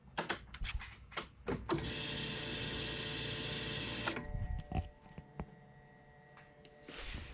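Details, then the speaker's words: 500whp turbo M50 BMW E30, fuel pump after cleaning a clogged fuel filter: firm steady electric whir for a couple of seconds amid clicks and handling; strong flow. "ah no way it was actually my [ __ ] fuel filter the amount of flow it sounds so much more potent"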